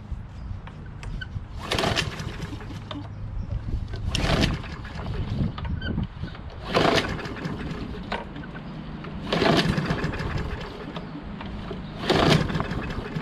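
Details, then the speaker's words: Craftsman push mower, Briggs 550EX, stored in shed all winter, freshly fueled, nothing done: engine hunts up and down, swelling about every two and a half seconds then sagging, dripping gas; surging, owner suspects stuck carburetor needle or dirty carburetor. "so something's sticking the needle's probably stuck so it's sputtering what can i do"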